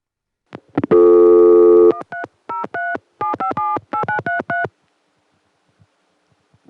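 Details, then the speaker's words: Telephone ringback from a ring machine: a steady tone for about a second, then a quick run of short two-pitch bursts, the rare double Murray Ring pattern. "What's even more exotic than Murray Ring? Double Murray Ring."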